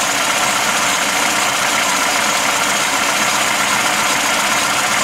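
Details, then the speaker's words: Lada Classic (VAZ) alternator making harsh hiss-like grinding at idle, traced by holding a stick against the alternator; owner suspects alternator bearings or something else inside, unconfirmed. "Вот это издаёт шум генератор можно вот такою палочкой просто прислонить к фонт или к генератору и будет отчётливо слиш откудова идёт этот звук именно этот звук идёт от генератора видимо там или подшипники или ещё что-то вот такие дела надо смотреть"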